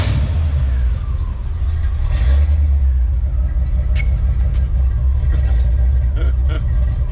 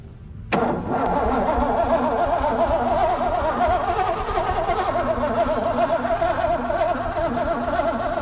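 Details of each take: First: 1988 Ford Mustang GT V8 restarted after sitting 19 years, out of gear: deep, steady low rumble with no ticking or misses; sounds good at idle. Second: 1988 Mustang GT that sat 19 years: starter whirs steadily with slow, uneven cranking beats, about two a second for ten seconds, and the starter was moving the car; engine never fires, so it cranks but won't start.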